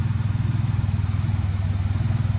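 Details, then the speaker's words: 1992 Ford Ranger XLT, 4.0 engine, 243,000 miles, running on a Mustang fuel pump used as a direct swap: deep, steady low thrum with an even, regular pulse and no knocks or misses; the engine idles smoothly. "but here she is it's live and for future reference a mustang fuel pump is a direct swap for rainbow"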